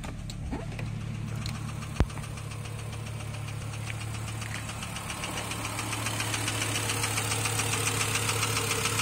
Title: S70 T5 idling with rod knock